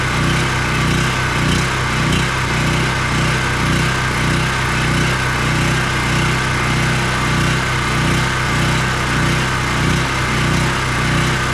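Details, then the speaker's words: ETQ 4000 watt portable generator, small single-cylinder engine after fitting a cheap replacement carburetor with new gasket and adjusting its screw: steady high speed, even beat, no hunting; making power at full RPM, normal full-throttle running. "this cheap little carb seems to be running it just fine so as you saw we're making power and full RPM sounds really nice"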